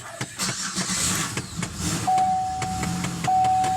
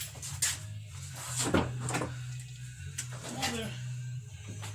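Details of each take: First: Van, starter test cranked with no foot on the throttle: steady cranking with even compression pulses but the engine never catches; this van won't start without a touch of gas. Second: Buick Terraza van that wouldn't start, battery checked good, cranked with a little gas: brief strong cranking, then the engine catches with a burst of revs and settles; starts strong and cleanly.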